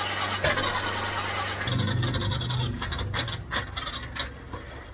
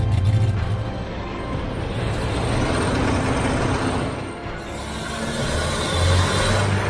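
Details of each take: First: Citroen HY72 van, not run in 8 years, no fuel tank fitted, distributor adjusted by guesswork without finding top dead center: engine catches but runs ragged with lumpy pulses and stray pops; rough running from wrong ignition timing. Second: Citroen HY72 van four-cylinder, first run after 8 years standing: settles into a steady, even low thrum with no misses or knocks; normal idle.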